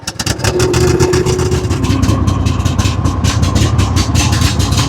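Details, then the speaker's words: Mower run with the choke on to demonstrate over-rich running, matching a 99.6-hour Gravely mower with a Kohler 7000-series engine that was smoking black and was later found missing its carburetor main jet. Low, lumpy, struggling idle. "barely running. This thing's only got 99.6 hours on it. That black smoke tells me it's getting too much fuel."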